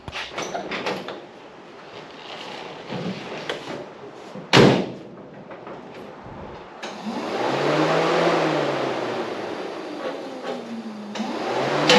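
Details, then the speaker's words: Holden ute with 400 Chevrolet V8, full exhaust fitted: cranking bursts with harsh metallic grinding rasp from the cut-up torque converter dust cover touching the flex plate. "that sounded absolutely horrendous but I know what it is I put the converter dust cover back on um and it's sketchy as it's been cut out butchered it's touching the flex plate"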